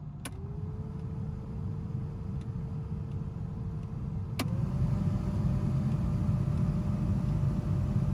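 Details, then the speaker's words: Aftermarket VDO blower motor (made 2013) newly installed in a Tacoma, replacing a noisy 20-plus-year-old factory Denso unit; steady low cabin-fan hum with a faint even tone stepping up in speed, much quieter than the old one, running smoothly. "it's got a little bit of hum but it's a lot better than the one that came in it when i bought the truck so pretty pleased with that hopefully"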